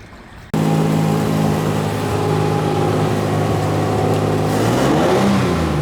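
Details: Restored 1935 Stancraft race boat inboard, the oldest known surviving Stancraft, with race intake manifolds that hold a high idle of about 2,000 rpm; steady, even, smooth fast idle, unbroken throughout. Normal high idle.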